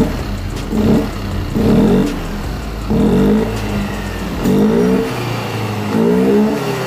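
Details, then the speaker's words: Yamaha Aerox 155 after cleaning the dirty ISC idle control valve tip: five clean throttle blips with revs climbing and dropping crisply, no hesitation; normal response restored, fault was not the injector or in-tank fuel pump. "Motor kembali normal bosku ya. Ternyata kerusakannya bukan di bagian injektor atau pompa injeksi yang di dalam tangki bosku ya."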